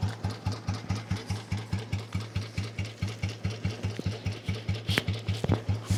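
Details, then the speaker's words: 1982 Royal Enfield Bullet 350 single-cylinder started with one kick and idling: a slow, evenly spaced thump-thump with no knock or rattle; healthy idle. "ये देखिए आप एक kick में चालू भी हो जाती है। एंड मैं आपको इसकी वॉइस सुना देता हूं।"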